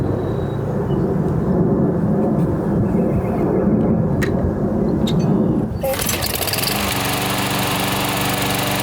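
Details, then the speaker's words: Older Toro SR4 Super Recycler 21-inch mower after full service and fresh oil: small single-cylinder engine runs steady and even, settling into a smooth constant hum; running really good, no smoke. "really good let it run running really good no smoke"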